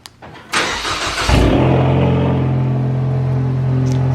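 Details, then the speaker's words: Big-turbo EcoBoost Mustang after removing a faulty Nostrum high-pressure fuel pump and refitting the stock pump: short crank, catches with a quick rev, then a steady, even idle with no misses; normal start and idle. "the car is back it works perfectly"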